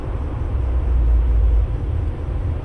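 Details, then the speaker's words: Junk Willys Jeep F-head engine, once seized, cranked on starter: slow cranking with heavy low rumble and dull bottom-end clunks; loose part in the crankcase. "well that sounds good also sounds like something clunky in the lower end um let's ignore that for now and spin it a little more there's definitely something loose in there"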